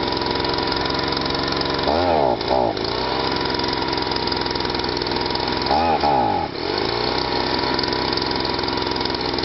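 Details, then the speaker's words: Stihl SH/BG 85 leaf blower, two-stroke, after cleaning a badly choked-up unit that wouldn't start, wouldn't rev and pumped petrol out the exhaust: revs clean and even at a steady high buzz, two brief throttle dips recover cleanly; runs as it should. "What I'll do now, actually, I'll give it a run and hold that back, and you'll hear how with that back how it runs and how it should run."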